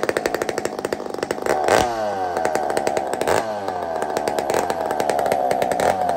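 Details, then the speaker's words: Chainsaw with muffler taken off a Tin Man 66 saw, cold start: uneven popping and stumbling with some smoke, then clears into a loud, steady high-rev scream; spluttering until warm. "Kind of splutters and smokes a bit until it gets the metals get rolling."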